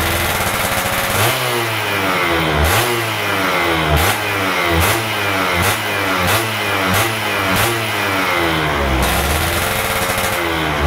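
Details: Stock Yamaha F1ZR 110 two-stroke during wet carburetor tuning, air screw about 2.5 turns out: about eight quick throttle blips, pitch climbing cleanly and dropping back with no bogging; healthy carburetion, normal.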